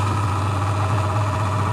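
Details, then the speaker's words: Fengda FD-186 oil-free airbrush compressor with 3 L tank, filling the tank (1 min 30 s to full), indoors: loud, steady motor hum with a constant buzzing tone, no knocks or rattles; running normally but very loud. "It is super loud. I hope my neighbors are not home. It's 10 p.m."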